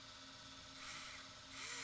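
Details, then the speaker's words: ARRMA 4S BLX brushless RC motor after bearing replacement with Tekno 5x13x4 bearings. Previously the rotor got very hot (guessed about 180°); now it is not hot. Smooth even whine with light rising sweeps on spin-up, no grinding or rattle. Normal running. "yeah and the rotor is not stupid hot either"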